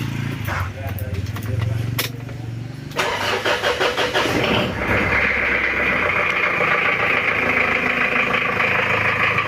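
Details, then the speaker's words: Recently overhauled Mitsubishi Challenger 4M40 diesel, weak power: a cold start catches into a coarse, uneven, lumpy clatter at idle that turns smooth when revved, with oil spraying suspected from a poor breather; rough idle from injection pump timing. "Suaranya sangat kasar sekali ya lor. Ini adalah suara dari mesinnya."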